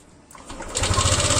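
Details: Yamaha Lexi scooter engine (VVA) starts with a rough, fast mechanical clatter at low RPM from a worn low-speed rocker arm roller; the noise disappears at high RPM once the VVA switches to the other rocker arm.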